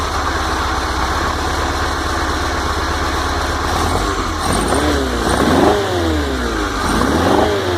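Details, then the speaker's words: VW T25/T3 Devon camper with no choke, just cold-started: even idle, then crisp blips that rise and fall cleanly from the idle circuit into the main jet circuit, with no stumble or flat spot. "Right from the bottom. That's the idle circuit. Then it goes into the main jet circuit."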